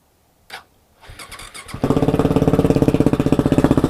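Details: KTM 690 SM LC4 single at idle, noise only when warm, on Motorex oil (previously Amsoil 10W-40): lumpy idle with a light, regular tick over the thump; owner suspects the cam chain tensioner, unconfirmed.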